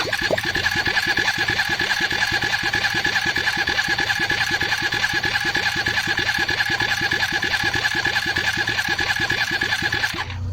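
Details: Hyosung GT250, trike conversion, newly installed carburetor and wiring harness, even starter churning about three beats a second with steady whine, never catching; cranks but won't fire.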